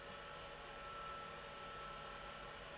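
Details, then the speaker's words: JVC BR-D85E Digital-S/D9 professional video recorder, reel motor running while control signal drops from 5 V: faint, steady whirr with a constant high tone and no catches or scraping; reel motor spinning smoothly, though the stop signal arrives well before it stops. "So it's 5 volt while the motor's stationary. Now the motor is spinning."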